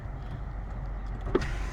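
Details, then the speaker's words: 2006 Nissan Altima, 209,674 miles, all four power windows going down in turn; low steady motor hum through the door with a soft thunk at end of travel, the window motors working normally. "Passenger side window goes down. Rear passenger side window goes down. Rear driver's side window goes down. And the driver's side window goes down."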